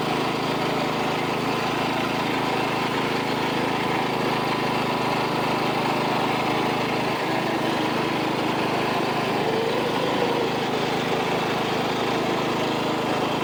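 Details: $25 Craftsman riding mower, refurbished with new belt and deck reinstalled: steady, even engine drone at constant pitch with no misses, knocks or surging; normal running, smooth and healthy.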